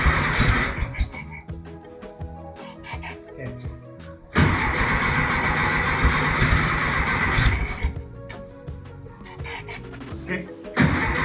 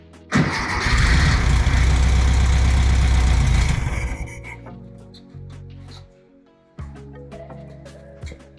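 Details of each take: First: 1964 VW Beetle air-cooled engine stored 8–10 years, after cleaning the carburetor: bursts of starter cranking, each time firing and catching into a steady run; normal starting. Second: 1964 VW Beetle air-cooled engine stored 8–10 years, fed from external fuel source: catches with rough roar for about three seconds then dies, running only on starting fluid; no fuel getting through, fixed later by cleaning the carburetor.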